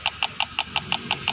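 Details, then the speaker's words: Motorcycle fuel injector bench-tested at high RPM: crisp, evenly spaced clicks about six per second with a bright spray hiss, the injector still pulsing freely and atomizing well. "Berarti RPM-nya tinggi, injektornya dia masih lancar, terus dia mengkabut, ya."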